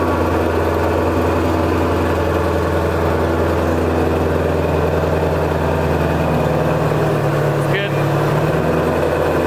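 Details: Wrecked 2016 Ford Mustang GT350R with front-end damage, started after an engine oil leak was repaired: deep, steady V8 idle with no misses, ticks or knocks, and no leaks.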